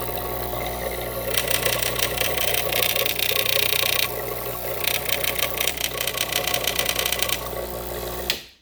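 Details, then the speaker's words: Gaggia Classic Pro espresso machine after replacing the leaking steam valve and knob, heated to temperature, no leaks: loud buzzing pump drone with rattly uneven pulsing, cutting off sharply; unusual sound, cause unknown. "interesting sound so don't know what's going on"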